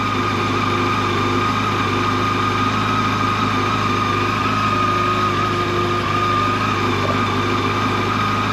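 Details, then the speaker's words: Brand-new 2024 Yamaha FJR 1300ES at 960 km, started and warmed for about 5 minutes before its first oil change; a smooth, even idle with a steady high whir and no knocks, ticks or hunting; normal warm-up idle. "first thing you got to do though is you got to warm it up so we'll we'll fire it up and uh let it warm up for 5 minutes"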